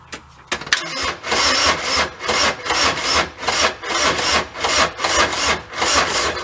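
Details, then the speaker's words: Bobcat 2300 Kubota diesel side-by-side parked many years, cranked after about 30 seconds of glow-plug heating: slow, uneven, clumpy rasping starter chug at about two pulses a second with no firing; it cranks but won't start. "starter sounds a little clumpy though huh"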